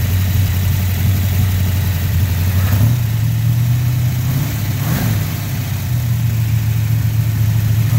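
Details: 1970 Chevrolet Nova former drag race car, V8 started off a jump pack; deep, even V8 burble with a couple of quick throttle blips, clean steady firing throughout; engine sounds healthy running and revving.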